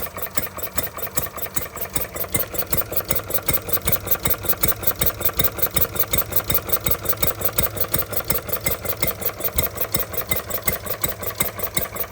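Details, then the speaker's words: Stirling Kits Retrol G16 model stationary gas engine, first start after clearing a flooded plug, revs adjustable: light regular putter near three beats a second, even with no misses; running smoothly, fuel pump not yet pumping. "It's going lovely now."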